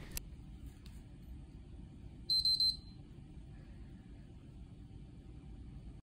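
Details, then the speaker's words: PS3 with yellow light of death, after SYSCON config values were forcibly modified and before the checksum was corrected. Three quick high beeps at power-on over a quiet fan hiss, signalling the modified config values don't check out. "you will hear free bips but don't worry because we forcefully modify some values and the console is telling us something is wrong"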